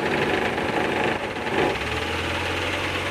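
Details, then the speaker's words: 1994 Suzuki Carry pickup 1.0, cold engine idling just after starting, with a little throttle; oil is clean. Slightly uneven shake from the cold, but the mechanical sound is smooth with no piston ring noise; normal. "saya kasih sedikit karena ini masih dingin jadi getar gitu ya cuman kalau dari mesin dia halus aman"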